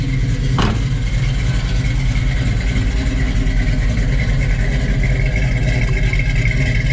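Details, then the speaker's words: Muscle car V8 stored in a basement for over 20 years, not road-driven since the late '90s, just driven out of the basement: steady idle with lazy burble after one sharp blip, no knocking or ticking; running good. "yeah it's running good"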